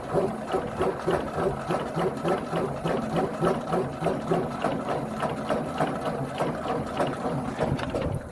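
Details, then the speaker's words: 1958 Ford tractor after cleaning dirty ignition points, gap near 20 thou: uneven, slightly lumpy putter around a hundred beats a minute, running on its own while clearing a flooded start. "It's a little flooded, but now we're good to go again."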